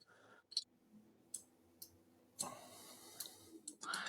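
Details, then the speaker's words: Siemens SKP25 gas safety shutoff valve actuator: light, isolated clicks from the proof-of-closure microswitch, which is linked to the red indicator, as the valve opens and the switch arm leaves the microswitch; normal proof-of-closure switch operation. "So proof of closure switch connected to the red indicator and you can hopefully hear that. But as the the valve opens the proof of closure switch arm no longer touches this little micro switch."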